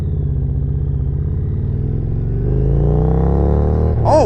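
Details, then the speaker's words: 2018 Harley-Davidson Road Glide Special, heavily customized with performance parts and high-flow air filter, small acceleration test while riding: deep rising roar with strong intake rush, strong and even; normal intake roar. "my, yeah, it definitely moves, and you can hear that high flow air filter pulling in that air."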